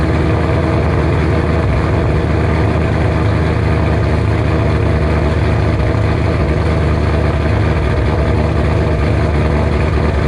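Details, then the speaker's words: 2007 Ford GT500 supercharged V8, first cold start at normal idle after L&M NSR cam install, tuned by Venomous Tuning: deep loud choppy cam lope, rhythmic with no misfire; healthy, owner expects idle to settle lower. "alrighty guys prepare yourself first cold start with the normal idol and everything it's cold let's see how she sounds"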